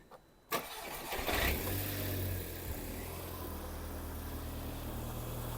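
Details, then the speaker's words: Mk2 Audi TT after a full service with new coil packs and a primed fuel pump: quick crank, catches cleanly, brief flare, then a smooth, even tick-over with no ticks or misfires; normal start and idle. "and she sounds like she's ticking over lovely so now the car's done and we know it starts"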